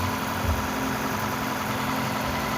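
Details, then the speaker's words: Toyota Camry Hybrid 2AZ after cylinder head and head gasket repair, running without a catalytic converter: calm, even idle with a soft steady rumble, no knocks, ticks or misses. Calmer than before the repair. "Even though this car doesn't have a catalyst, it's still fairly calm compared to how it came."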